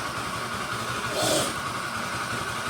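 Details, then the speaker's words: Honda Vario 110 LED scooter idling with CVT cover removed: steady mid-pitched hum that doesn't change and persists with CVT off, so the cause is inside the engine, the balancer or crankshaft bearing (bearing gandul or bearing kruk as). "Ini tuh kendalanya dari bearing gandul atau bearing kruk asnya."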